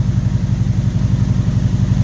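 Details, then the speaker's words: 1976 Corvette Stingray V8 first start after years parked, fuel and cooling lines replaced, water pump bearing bad: deep, regular low idle burble with no knocks or ticks, slight smell of old fuel; runs well, normal idle. "I was really happy on how it started up. It just fired right up, and I could smell there's a little bit of bad fuel left in the bottom of the tank, but it wasn't too bad."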